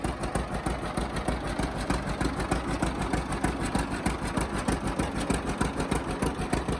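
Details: 1950 John Deere Model A two-cylinder, running for the first time in about six years: slow regular putt with sharp puff each beat from a small leak between exhaust manifold and pipe, minor, to be fixed.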